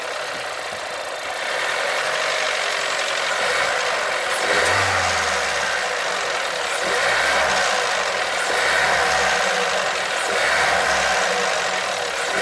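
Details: 1.2 TSI engine revved up and down in repeated blips, with a dull knock appearing as revs rise and fall; engine knock on revving.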